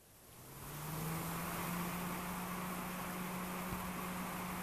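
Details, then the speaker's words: Spire 120 mm PC case fan bench-tested, rated 21 dB: spins up within a second then holds a steady low hum with airy hiss, louder than a CPU fan rated 24 dB; excessive fan noise. "I don't know if you guys can hear that but that's a pretty noisy fan it's supposed to run I think at um 21 DB"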